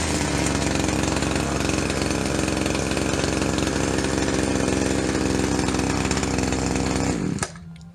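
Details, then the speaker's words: Yard-sale Shindaiwa single-sided two-stroke hedge trimmer, idling slightly fast, with the owner planning to set the carb. Steady even buzz holding without stumbling before shutoff; normal running, idle slightly fast. "I'm gonna clean it up, set the carb up just a little bit. You can hear it's idling a little bit fast."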